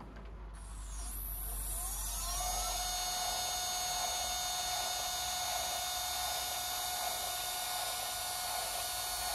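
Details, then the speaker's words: Sky-Watcher EQ3 mount after worm gear tuning on both right ascension and declination axes, slewing to M31: motors rise through a whine into a steady, even high hum with no grinding or clicking; normal, healthy stepper motor slew. "I've also tuned the uh worm gears on both the uh right mention the declination and it sounds fabulous listen to"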